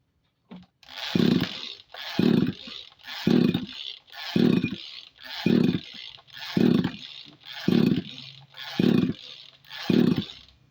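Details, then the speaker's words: Tanika engine sprayer after its plug was replaced with a Bosch one: nine even recoil pulls, each a rasping whir with no firing. Crank, no start; ignition or starter mechanism suspected, unconfirmed. "belum mau menyala, ya? Itu artinya kita harus memeriksa mekanisme pengapian atau membongkar starter."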